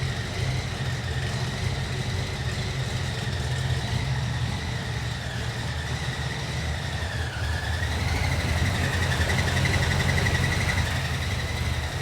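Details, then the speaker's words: 1968 Chevy C10 with 2005 Ford Explorer suspension and small cam, started on jump pack, warming up before thermostat opens: thin steady high-pitched whistle over a lumpy idle; source unknown. "there's a little whistling noise i don't know what that is that doesn't sound right"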